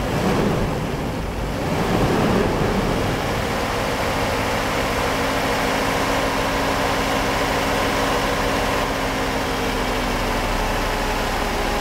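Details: Mercedes 500SL V8 idling during a throttle actuator test, no limp mode: fires and settles into a smooth, steady low rumble with no hunting or stumbling; idle and throttle control are healthy.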